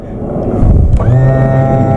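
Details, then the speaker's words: Boat outboard tilt/trim motor tested with the blue cable disconnected from the relay and battery power applied directly to the red wire: quiet hum, then a steady, even electric whine; motor works in the up direction. "there we go the motor works right you see how i touch it let me do that again ready here we go and then that means that the motor uh is working at least at the up position because the power from the battery is activating the motor"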